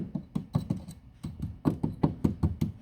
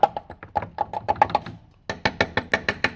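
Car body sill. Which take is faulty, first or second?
first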